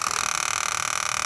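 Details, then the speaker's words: 2012 Ram 3500 blend door actuator, removed from under the dash and tested while connected to the HVAC control: a fast, even, high-pitched buzzing chatter. The owner suspects the actuator is damaged inside and needs replacing. "So it is making noise and kind of but I think it's damaged inside, so I'm gonna have to get a new one of those."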